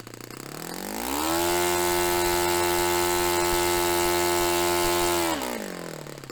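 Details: Restored Saito FA-45 Special on a test stand, 10% nitro fuel, warmed up. Climbs from idle to a clean, steady high howl near 10,260–10,300 rpm, against a manual peak of about 10,300. Holds about four seconds, then drops back. Normal full-throttle run; top end richened slightly.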